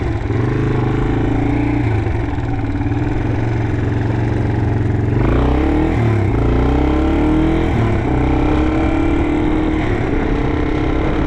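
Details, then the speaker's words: 1987 Yamaha TW200 single-cylinder being ridden after a no-start repair: revs rise and fall with a loud, raspy, chuffing bark; exhaust leak at the header. "The exhaust is a little bit annoying, so I don't really want to ride around the neighborhood too much."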